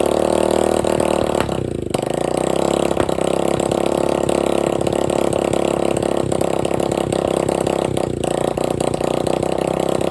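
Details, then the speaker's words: Free dirt bike running with no exhaust pipe and no carburetor filter, with about a six-inch flame shooting out: a loud, raw, crackling bark with ragged popping and no muffling. Running without exhaust. "so definitely got to put the exhaust on there filter for the carburetor unless he runs there you go see the six inch flame that shoots out of the front of it gotta get that exhaust put on there"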